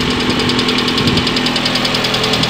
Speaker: самой распространенной неисправность современных двигателей это стук гидрокомпенсаторов вот такая вот ребята история